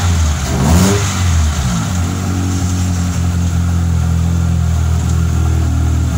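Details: Fiat Tempra 2.0 16V just started cold, noise located at one spot on the engine: blips then loud uneven idle with coarse rattle; owner suspects rod bearing, piston or a bearing, unconfirmed.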